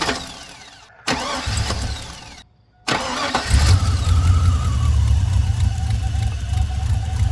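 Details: 1999-2006 Chevy Silverado V8 (4.8/5.3/6.0) after fuel injector replacement and fuel system bleeding: two short cranking bursts with pauses, then catches and settles to a steady smooth idle.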